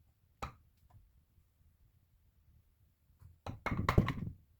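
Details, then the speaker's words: Pulse motor started after retiming: a few scattered thunks, then rough, uneven scraping knocks as the rotor spins and touches against something; needs retiming again. "So let's start it up. As you can see, it's touching against"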